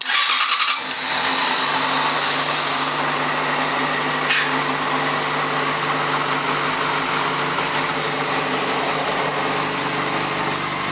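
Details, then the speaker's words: 2004 Yamaha FZ6, about 19,000 miles, all stock, cold start without throttle: fires right up into a smooth, even low hum with only a faint light lifter or piston tap that has always been there; normal cold start and idle. "you can hear kind of the lifter just a little bit or the pistons tap just a little but that's normal this is how it's always sounded it just has that nice low hum"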